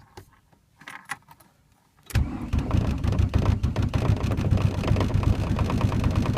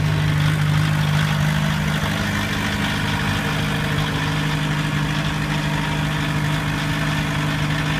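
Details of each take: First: 1991 VW Jetta turbo diesel in cold winter, new battery, starter and glow plugs, cause unknown: quiet, then rough uneven cranking about three beats a second, nearly catches but never runs; hard cold start, almost catches. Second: 1991 VW Jetta turbo diesel with new battery and starter, head retorqued, idling after a hard cold start and slight rev to engage alternator: steady, even diesel clatter, low constant drone, no misses or knocks; normal diesel idle.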